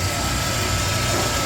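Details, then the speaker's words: Pitco deep fryer filter pump circulating oil through filter while draining and pumping at once: steady even motor hum with constant wash of circulating oil, no knocks or surging; normal pump running. "pump is still going, pumping back in. It's just circulating it through that filter."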